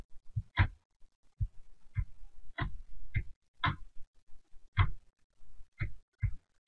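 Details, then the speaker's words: LGB Stainz locomotive with an old Massoth eMotion LS decoder being read by Massoth Service Tool: short, irregular low buzzes about every half second, the normal acknowledgement pulses showing each CV reads correctly. "on entend derrière la locomotive qui grésille chaque fois qu'une série est nul ça veut dire que la lecture se passe bien"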